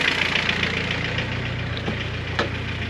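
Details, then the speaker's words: Boosted G23 engine at warm idle around 1,000 rpm: uneven slapping knock over rough idle, barely audible at 1,500 rpm fast idle from the thermo valve; source not pinned down. "it would have been all right not slapping noise you could hardly hear it I mean you heard it earlier but now the RPM is like 1,000 or so and it it sounds so bad"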